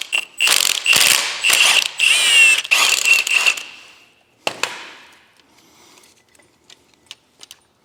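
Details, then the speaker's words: Mitsubishi Evolution with ACT clutch, which ACT verified is fine: sharp metallic rattle in bursts at idle that stops when the clutch is pushed in, said to be common on Evo 8s and 9s; drivetrain rattle at idle, cause not confirmed. "apparently it's a pretty common thing with 8s and 9s. As soon as you push in the clutch, it goes away."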